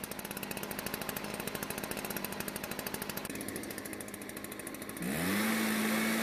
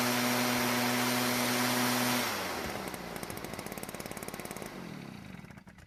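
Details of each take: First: Stihl backpack blower that wouldn't start due to old gasoline, now running with rapid popping rising to a steady high rev. The spark plug shows slightly lean, with a whitish ground strap; it could overheat if run on. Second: Stihl backpack blower bought at a garage sale as a non-starter, after the carb limiter caps were removed and the H screw turned about a quarter turn counterclockwise for more fuel: steady, high-revving two-stroke drone that cuts off and winds down. It runs evenly.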